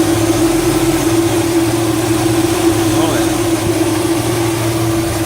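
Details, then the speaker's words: LS-swapped 1967 Chevrolet Bel Air with upgraded electric cooling fans from a 3rd/4th-gen F-body LT1, only one fan running at idle: constant, steady mid-pitched hum with no rub or wobble, moving plenty of air; normal fan operation. "like it moves a good amount of hair that's just one fan running"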